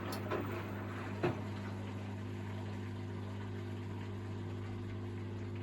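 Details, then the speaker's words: Miele WS5073 professional washing machine with its commercial sluice drain replaced by a domestic Miele drain pump: steady, low pump hum with a faint water trickle; it drains, but weakly and sluggishly. "it is draining out this time I think well definitely draining out but it's not it's not very enthusiastic drain out it's coming out all right it a lot of water still coming"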